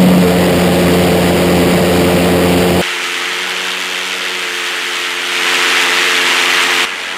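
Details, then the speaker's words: Twin Viper valveless pulsejet, two 50-pound-thrust engines, run on diesel at full power inside shop: loud steady roar with deep buzzing drone, then eases off; running strong, more power than expected. "Yeah, boy, that was making more power than I thought the engine made."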